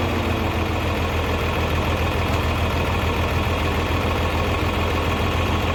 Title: abnormal sound coming from engine